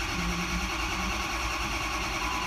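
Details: 2005 diesel truck, 115,000 miles, no-start after a head stud job, cranking with key on to build oil rail pressure (reaching about 86 psi). Steady, even starter whirr with no firing. Cranking without starting.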